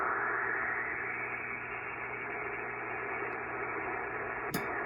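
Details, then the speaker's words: Pyramid PSV500 50 A switching DC power supply powering a ham radio on cobweb and Windom antennas: a steady dense hiss fills the receiver with no signal. "okay you guys can hear the noise okay so that is with the power supply on the Windom that's on the cobweb"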